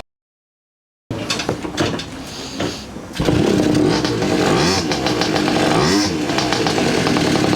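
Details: Garelli SSXL moped two-stroke, timing rough-set with limited advance, poor carburetor: sputters, catches and surges unevenly as the throttle is pumped, never settling into a steady idle; rough idle, cause not confirmed.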